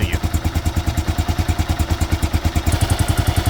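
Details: Kawasaki KLR650 single-cylinder idling with a light quick tick on each beat from the top end, quieter cold and coming and going once warm; owner blames the KACR system, previous owner ran it without oil.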